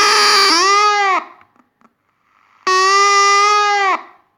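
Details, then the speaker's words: Water-damaged Panasonic RF-562 battery portable radio, first switch-on after reassembly: two loud, steady howls with stacked tones, each about a second long. The amplifier circuit is faulty; the capacitors were found leaky or out of spec. "we have we have something wrong in the amplifier circuit yeah so I will have to did disassemble it once again"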